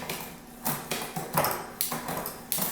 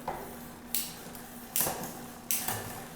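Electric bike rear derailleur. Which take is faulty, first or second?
second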